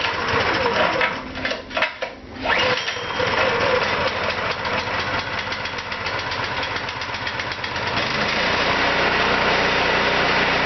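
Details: Kentavr 7807 petrol snowthrower after carburetor cleaning, fuel tap open, choke on, throttle at max: uneven sputtering and cranking, then the small engine catches and settles into a steady, even run; normal running.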